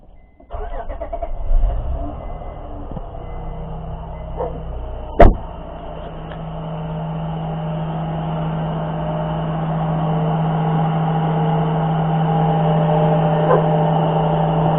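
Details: 2003 Acura TL Type-S after replacing the A/C clutch bearing that caused a grinding noise from the A/C pulley: engine catches quickly into a smooth, even idle with no grinding from the front belt area.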